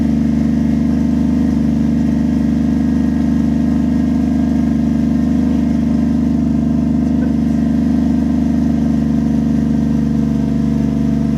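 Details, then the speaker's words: 1JZ-swapped Lexus IS300 restarted after replacing a failed coil pack: smooth, even idle with a deep steady hum and no misses, stumbles or ticks; engine running cleanly, temps good. "so yeah that sounds way way better wow"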